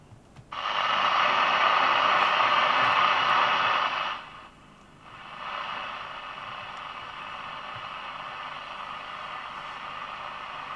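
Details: National Panasonic RQ-434DS 1970s boombox radio on mains via isolation transformer, first switch-on: loud steady hiss that dips briefly and returns quieter, no station; front end trying to pick up, static only.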